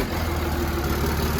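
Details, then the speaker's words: Diesel pickup bought off Marketplace, transmission removed, neutral safety switch bypassed: smooth, even idle with a steady low drone, no knocks or misses, oil pressure seen, no blow-by. Normal idle. "okay so we know the engine runs and apparently runs pretty good man doesn't sound bad at all no blow by so that's good"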